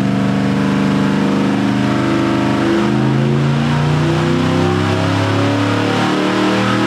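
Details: 540 cubic inch big-block Chevrolet with two spark plugs per cylinder and two ignitions, started on one ignition: loud lumpy idle whose pitch climbs as the second ignition switches on, picking up RPM.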